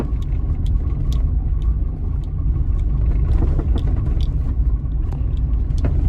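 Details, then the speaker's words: 2015 Hyundai HB20 1.0 three-cylinder, 48,000 km, driven over cobblestone street, heard near the brake pedal: sharp irregular heavy knocks under the front suspension over road rumble; cause found to be a loose bolt. "tirando os barulhos de plástico ela tem uma pancada bem forte embaixo da suspensão dele"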